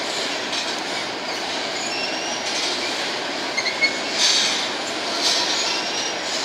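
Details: BNSF empty grain train led by two GE locomotives passing at sunset: a steady rolling rumble with brief high squeals and groans from a few noisy wheels, plus coupler groaning. Cause not evident.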